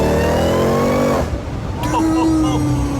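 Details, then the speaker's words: 2018 Jeep Trackhawk, supercharged Hemi, rebuilt after a wreck, with a new cold air intake, on a harder pull: loud whine climbs in pitch with revs, drops at the shift, then rises again; normal supercharger whine. "That's insane. I can't believe that supercharger whines like that."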